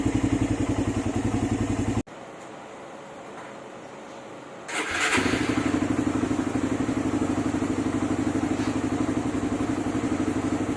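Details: Suzuki Raider 150 after a clutch housing and lining change (an earlier housing was oblong, so another housing was machined): quick even idle putter, brief stop, restart, same smooth quiet beat; engine now quiet, all good.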